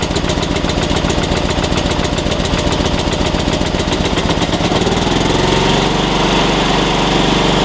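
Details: Small single-cylinder engine jump-started with a NOCO GB70 2000A booster in force mode, battery positive disconnected. Rough cranking chatter catches at about five seconds, then settles into a steady, even run. Normal running.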